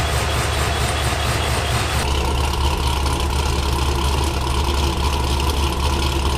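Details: Pontiac GTO with ProCharger supercharger refitted with a brand-new impeller and new seals, start after reassembly: a strong low rumble catches and settles straight into a steady, even idle with no knocks or rattles; healthy start.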